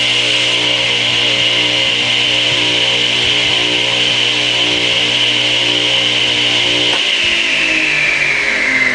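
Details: Craftsman 8-inch direct-drive table saw motor, model S48BRK-1820, 120 V 7.8 A 3450 rpm single-phase, run installed in the saw: a smooth, steady high whine at constant speed, then an even wind-down after switch-off; normal motor running.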